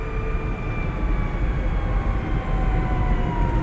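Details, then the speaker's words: Reeder Reev Fancy electric microcar driving after its first oil change at 500 km: steady gear whine with drifting pitch over road rumble; differential whine, expected to fade within about 5 km as the new oil works in. "Bak diferansiyel sesi varmış. Yağın özelliği aralara girdiği zaman 5 kilometre sonra bu ses bayağı azalacak."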